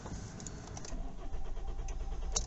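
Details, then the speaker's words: Kia Ceed/i30 CRDi diesel, cold at 12°C, right after fuel filter replacement: starter churns steadily with low even drone but doesn't catch, then fires; owner wonders if air in the system. "that's not starting straight away though it's not starting straight away there either not starting at all"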